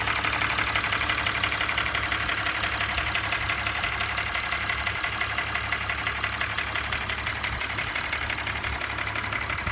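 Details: 2005 BMW 325i M56 six-cylinder idling with a fast, busy metallic rattle over the steady idle hum.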